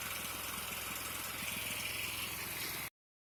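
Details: 36-inch Bunton walk-behind mower after carburetor cleaning and freeing a kinked throttle cable: small single-cylinder engine running steadily at a fast, even beat with no misses or knocks; it runs fine now.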